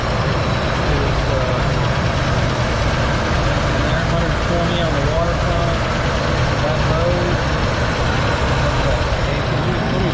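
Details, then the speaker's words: 1970 Ford F250 idling at 126 degrees temperature: steady, even, slightly fast idle with no misses; idle seems set a little high, owner plans to turn it down. "Says here idling, maybe idling a little high. Let's see if I can get that idle down a little bit."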